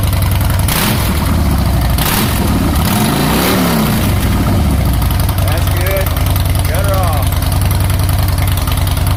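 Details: 2014 Harley Softail Classic V-twin, before or after Vance and Hines Short Shots exhaust install: quick crank, then loud deep loping idle with uneven thump; runs clean and healthy.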